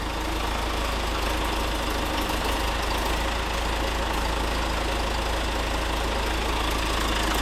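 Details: Rebuilt John Deere 4039DF diesel in a Pettibone telehandler, first start after rebuild: loud, even idle with a sharp puffing tick about three per second; exhaust leaking at one injector's seal, to be replaced with seal kit.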